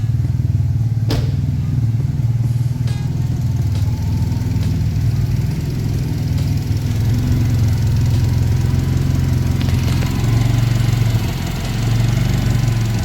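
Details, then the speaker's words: Turbo Honda, cold and below operating temperature, owner suspects a short in the MAP sensor wiring that causes occasional misses: steady, even cold idle with a smooth low hum and no misses at this moment. "So she's purring. And what I'm gonna do, now the car is still cold, so it's not exactly up to full operating temperature yet, but anyway, I'm gonna show you what I'm talking about. So you can tell the car is running fine, no misses or anything,"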